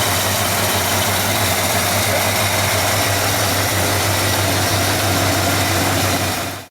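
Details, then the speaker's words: 1959 GMC Napco 4x4 truck after fitting a new Edelbrock/Carter carburetor with electric choke and a new exhaust: a steady, smooth, deep idle with no misses or knocks until shut-off, so the engine is healthy. "I know the owner would really like to hear this uh thing run with the new exhaust I'm going to go ahead and start it up um so you can hear it run"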